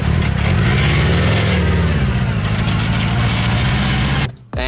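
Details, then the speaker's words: Mini trophy truck project with four-wheel drive, engine revving hard under a loud rattling chain whir from the small tensioner sprocket between engine and secondary transmission. The noisy sprocket is to be replaced with a softer longboard skateboard wheel. "now another thing I really want to improve on this is the chain tensioner in between the engine and secondary transmission now I kind of really underestimated how obnoxiously loud this little sprocket would"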